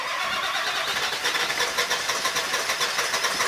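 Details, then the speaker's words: Diesel school bus engine in freezing Wyoming morning, after about half an hour on the block heater with charger on: starter spins at a quick, even rhythm for several seconds but never catches; fuel gelling suspected, fuel filter to be changed. "[Music] hmm same thing got plenty of juice I'm gonna change the fuel filter I guess"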